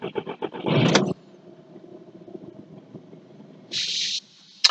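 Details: 2009 Volkswagen Jetta TDI, CBEA engine, no codes, not immobilizer-related: quick cranking, brief catch and rise, then dies within a second; fuel pressure tracks specification while running, cause not yet found.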